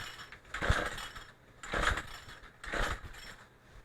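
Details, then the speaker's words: Craftsman Speed Start trimmer power head, after carburetor and fuel line replacement, choke on, primer pumped, throttle cable off: three slow recoil pulls, each a short whirring rasp, never catching. Won't start; owner suspects he flooded it. "that's not good well we do know it runs I think I may have flooded it"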